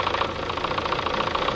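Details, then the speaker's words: Chevrolet Sonic 1.8 engine at idle with floating revs and camshaft codes (P0366): sharp, light, evenly spaced metallic ticking about eight per second from the top end; cam sensors, solenoids, coil and timing already replaced by others; cause unconfirmed. "Вот такой вот странный звук."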